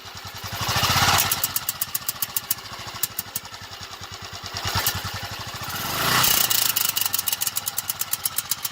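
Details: 2000 Royal Enfield 500cc Bullet, warm after 8–10 minutes of riding, low rpm only: a single-cylinder thump with uneven, tinny rattling beats that swell on each rev blip, misfire-like; cause unknown.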